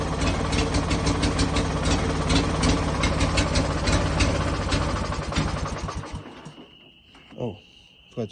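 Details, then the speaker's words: Used Ranch King riding mower twin-cylinder engine, with new spark plugs fitted: catches and runs with a lumpy, uneven beat around three per second, then shuts off; runs rough, cause unknown, owner may refit old plugs. "But it does start runs rough. I don't know why."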